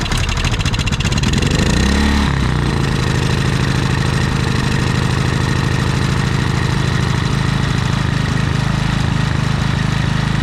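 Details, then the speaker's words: Predator generator with many hours, surging after running a week straight and running out of gas; revs up then hunts unevenly even after carburetor jet cleaning, without air filter shroud; cause was a misadjusted idle stop screw affecting the electronic idle, not dirt. "so well guys it wasn't really the carburetor i mean there was some dirt in it but it was actually just this little idle screw right here with it it uh allows the electronic idle to do its thing but this"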